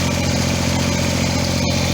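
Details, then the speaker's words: Kubota BX2350 diesel tractor after fuel tank removal, unkinked fuel line and new fuel filter/water separator: settles straight into a steady, even low-chug idle with no stumbling; previously hard to start, fuel pump clicking now even. "But look at that, started right up. Before it would have a hard time starting."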